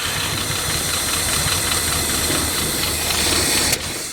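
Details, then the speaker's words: 1967 Lincoln Continental first start after sitting 29 years, fresh fuel in the original tank, choke on; irregular pops and sputters about four a second as it spits gas and struggles to stay running. "come on stay alive oh she's spitting gas not good the choke is on"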